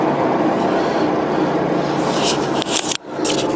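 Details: Ford Focus raised rear wheel spun by hand: steady rough grinding rumble with up-and-down play, a worn rear wheel bearing; noise grows louder with road speed.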